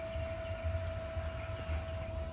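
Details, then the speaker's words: Ryobi RM300E riding lawn mower converted to a 48V 30Ah LiFePO4 battery, charger plugged in to charge: the charger cooling fan runs with a steady hum, a constant tone around 650 Hz over a low drone; normal operation. "All I got to do is flip this up and plug that in. You should hear the fan come on on the charger. Yep, there it is."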